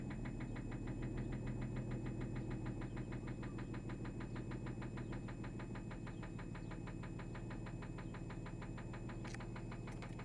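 A steady, hard knock of roughly three per second rides over the idle without fading, the classic sound of a worn connecting rod bearing.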